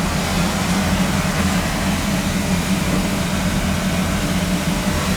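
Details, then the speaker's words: Boiler after a no-heat call on the second floor, new thermostat fitted and set to hold: low, even burner rumble holding steady with no pulsing, rattles or cut-outs; firing normally, fault was a bad thermostat. "Sounds like it's running to me. It's calling. So that's what it was, with a bad thermostat."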